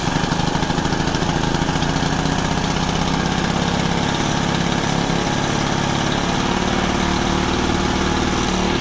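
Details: Honda FG110, GX25 engine, replacement carb being tuned, idle raised to warm up: small single runs at a steady raised idle with an even beat, no misses or surging; normal running.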